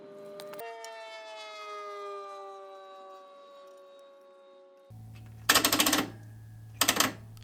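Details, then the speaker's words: 1968 VW Bug engine out of the car during compression testing, cylinders around 110–115 psi: a whining tone winds down, then harsh grinding bursts as the aftermarket starter engages over a low hum. Failing starter motor. "so that's the sound of a failing starter bought it off Amazon should have got a Bosch"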